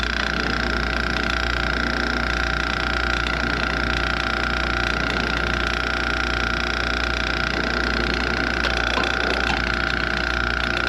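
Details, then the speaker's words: Ice machine in harvest mode: a steady, slightly raspy high hum runs under the machine's drone from the small air pump, which is worn out and getting noisy. "There's our little pump. She's getting a little noisy here. She's a little worn out."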